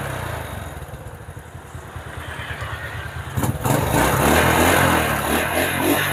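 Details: Honda Supra motorcycle with an aftermarket starter motor, previously hard to start on electric start, with a freshly charged battery: starter cranks steadily about three seconds, then the engine catches cleanly and revs evenly; fault traced to the pulser.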